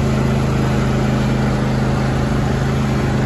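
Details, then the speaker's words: John Deere D130 hydrostatic lawn tractor, 22 hp twin-cylinder, 271 hours, driving forward. Even, steady thrum with a firm low beat and no knocks or rattles; very responsive and running smoothly. "very responsive, very. Reverse, so smooth and simple."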